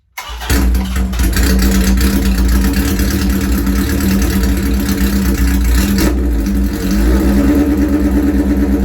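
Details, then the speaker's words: Custom Harley Shovelhead chopper, gas on and choke on; catches right away and settles into deep, even potato-potato idle with steady low rumble, starts and sounds good; owner notes carb bowls overflow if gas left on; normal cold start and idle. "Well, does that surprise me? A little bit. It freaking sounds good and it starts good."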